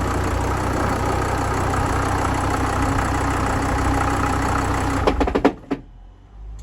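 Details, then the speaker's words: VW Crafter 2.5 diesel van idling then shutting off with a rapid burst of heavy clunks, also heard at start-up; clunk goes away with clutch pedal pressed and revved; dual mass flywheel or clutch suspected, gearbox to be removed. "so what you can hear there you can hear it as it's starting up you get that clunking you also hear it when he shut it off you hear it again"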